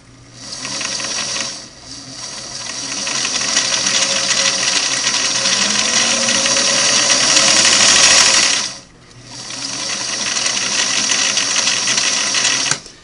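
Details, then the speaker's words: 1964 Singer Model 347 sewing machine set to zigzag width 4 during needle-to-hook positioning: quick, even clatter of about three and a half stitches a second with a smooth whir; normal zigzag stitching, needle bar driving arm pushing out. "You know, it seems, so there's the zig, the zag. Needle bar driving arm's pushing it out."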